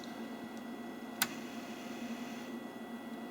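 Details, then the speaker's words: Commodore 1541 disk drive, whose fault was a red LED staying on and the spindle running continuously; booted after swapping 6522 chips. Steady faint whir with a single sharp head click at power-up, then it settles; normal boot. "seems to be booting up normally"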